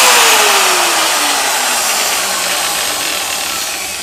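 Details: Angle grinder free-running after bearing replacement, carbon brushes checked: high, clean whir winding down smoothly and evenly with no rattle, grinding or knocking; bearings sound healthy, normal free run.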